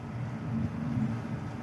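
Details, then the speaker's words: Hayward Pro Logic pool control panel with its surge-shorted circuit board repaired and refitted; the filter pump runs with a low, steady hum and a soft even churn, no knocking or squeal. "let's see if it works all right and if you hear it down here my filter is running"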